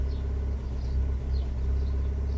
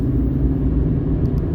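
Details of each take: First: Fiat 500 with cylinder 4 and random multiple misfire codes, codes cleared but still misfiring: rough, lumpy idle with a low rumble stumbling every half second; fixed by replacing the ignition coil unit. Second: Fiat 500 on road test after fix for random multiple-cylinder and cylinder 4 misfire: smooth, even engine note on the move with no stumbles or missed beats, no dashboard lights; normal running.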